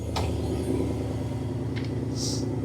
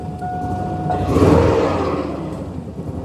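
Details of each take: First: GM 6.0 V8 from a donor Sierra, set for a 1955 Chevy 3100 pickup, at steady idle with about 40 psi oil pressure and alternator unhooked: smooth, quiet, even rumble with no knocks or misses despite an exhaust manifold leak from missing bolts; normal idle. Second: GM 6.0 V8 from a donor Sierra, first runs, about 60 psi oil pressure when revved: idle surges up and sags back roughly every two seconds instead of settling. Rough hunting idle; poorly made connections suspected, not confirmed.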